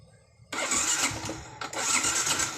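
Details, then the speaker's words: Yamaha Jupiter MX New, never-serviced carburetor, ignition normal: engine catches abruptly, runs rough with uneven surging and stumbles, hesitating as throttle is cracked; hard starting and hesitation from dirty carburetor. "tadi waktu pertama coba hidup ya teman cuman nggak mau digas sedikit brebet atau delay nama atau di bisa dibilang delay dari teman-teman"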